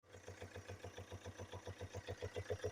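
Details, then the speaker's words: Chevrolet Captiva / Opel Antara / Daewoo Winstorm 2.0 diesel at idle: sharp steady knock about seven times a second, worst cold and fading once warm; a valve was suspected and the gasket ruled out; cause found as camshaft with worn journals. "думаю что-то с клапаном какого-то цилиндра прокладку исключаю потому что после проголовок прекращается а вот и причина как я и подозревал распредвал сточенный шейки в"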